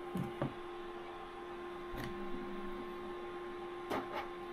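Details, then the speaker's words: Anycubic Photon Mono 4 Ultra resin printer on its first print, briefly paused to check: a quiet steady hum with soft cracking pops as the layer peels off the film sheet. This is a normal, good sign, and the print is stuck to the plate. "I don't know if you can hear that, but you can hear it peeling off the um sheet, which is a good sign."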